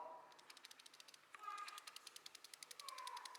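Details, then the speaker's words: Belt tensioner shaken by hand with microphone nearby, from a Brazilian workshop (S10 2.8, Omega 2.2, Corsa, Clio jobs): quick irregular metallic clicks and ticks, dry bearing balls knocking metal on metal plus spring play. "você sabe que que é esse barulho cruzada é as esferas do rolamento que tá o seca dentro batendo ferro com ferro e a folga da mola aqui ó"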